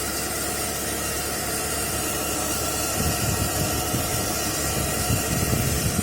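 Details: Whining and hissing from under the rear of the car while driving, a classic failing fuel pump symptom; check one more thing before replacing the pump.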